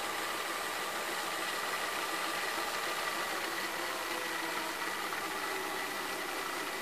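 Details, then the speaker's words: Sony SLV-760HF VHS VCR in fast-forward: a steady, hissy, high-pitched whirring with no rhythm or pitch change, like a kitchen blender; an abnormal noise from the tape transport. "for fast-forward [Applause] makes unusual sound when it goes forward if you can listen closely it sounds like a freaking blender"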